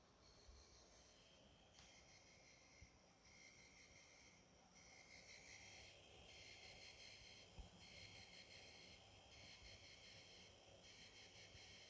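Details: Corsair RM1000i power supply: quiet, high-pitched buzzing that swells and fades every second or so; an odd electrical noise, possibly coil whine.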